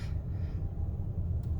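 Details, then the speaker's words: After-repair idle on a 2008 GMC Canyon 2.9L with a 5-speed manual, after a test drive, now fixed: a low, even rumble with no dips or surges. Before repair, the idle dove and recovered or stalled, with pre-ignition knocking, hard starting and low power. "Well, we just went for the maiden test drive here. Big win, 100% fixed. Look at that baby idle."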